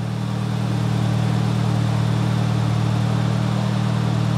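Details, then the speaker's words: Nissan 200SX turbo being inspected, MAP sensor unplugged so it runs in limp mode, as it always does: even, steady idle with smooth low pulse, no knocks or misfires; normal idle. "it's running it's running like it in safe mode in limp mode because I don't have the map hooked up it always kind of runs like that"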